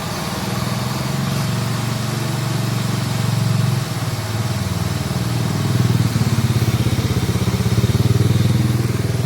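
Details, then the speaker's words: Toyota Corolla Altis single radiator/AC condenser fan running with AC on after repair of noisy fan motor: steady even whoosh over smooth idle, no scraping or grinding, fan pulling air correctly; noise gone. "Nah teman-teman, jadi ini berarti sudah benar ya, sudah nggak berisik lagi."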